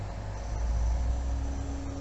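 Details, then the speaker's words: B450 motherboard PC with Ryzen 7 Pro, as the CPU drops from 100% load to idle: a faint, thin chirp and steady hum over fan noise, not the hard drive. It stops when the CPU returns to 100%. Source suspected, not confirmed. "It happened just when the CPU went from maxed out to idle. It's a sort of chirping sound you hear, and it's not the hard drive."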